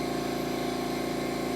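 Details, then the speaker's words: California Air Tools "ultra quiet" compressor about 10-12 feet away, running without its intake silencer fitted: loud steady train-like roar with a quick even pump throb. "it's not terribly loud from where i'm sitting but the microphone really seems to pick it up and it sounds like i'm staying next to a train"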